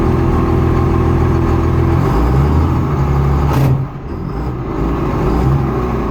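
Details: Rough low engine rumble with an uneven clatter repeating about three times a second over the idle; a grinding noise of unclear cause.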